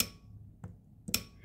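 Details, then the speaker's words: Toyota Tacoma A750 transmission SL2 solenoid on the bench, after cleaning out dirty transmission fluid: two crisp clicks half a second apart, solenoid now moving freely and working properly. "and the part that moves is way down here so I don't think I can see that but uh it moves a lot better now"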